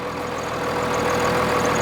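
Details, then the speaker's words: 1999 Dodge 2500 5.9L 12-valve Cummins diesel, over 400,000 miles, just after fuel lift pump replacement and bleeding; steady even idle clatter, no stumbling or surging. Normal idle. "had this truck over 22 years listen to it doesn't it sound great"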